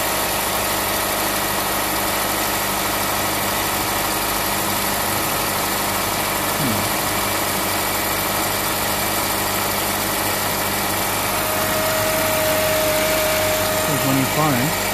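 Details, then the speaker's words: 2008 Honda Civic Hybrid, 185,000 miles, idling after a new Dayco serpentine belt was fitted, auto tensioner still working: an even, quiet idle hum with no belt chirp or squeal, and the engine and belt drive sound fine. "Okay. Let's start this thing up. Yay, that sounds good. That sounds good."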